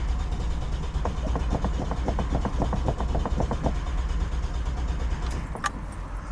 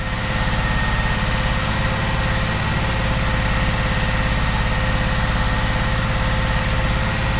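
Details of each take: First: 45-year-old Vauxhall Royale 2.8 L coupé with rebuilt engine on its first test drive: uneven, weakening firing pulses, then it dies out; fuel starvation as the fuel system clogs with rust from the old tank. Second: 45-year-old Vauxhall Royale coupé, rebuilt 2.8 L engine during cam run-in held at 2000 rpm: smooth, even, steady thrumming with no ticks or knocks; oil pressure four bar then 3.5, smoother than the old engine.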